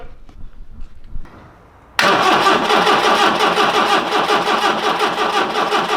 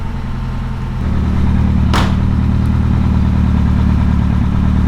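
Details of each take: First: Long-sitting 1982 barn-find classic car, first start attempt: two runs of steady starter cranking at about three turns a second with no firing or catch; cranks but won't start, no spark. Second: 1982 car revived after sitting for years, carburetted, choke partly on: steady, low, even idle with smooth exhaust burble, no knocks or misses; running healthily.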